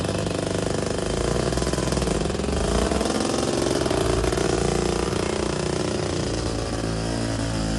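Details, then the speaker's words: Two-stroke tuk-tuk: raspy buzz surging and sagging unevenly rather than holding steady; runs lumpy, owner thinks the carb needs tickover adjustment, cause not confirmed. "It probably needs some adjustment on that carb to tick over, doesn't it? Maybe, but they're not very good at ticking over anyway, 2 strokes."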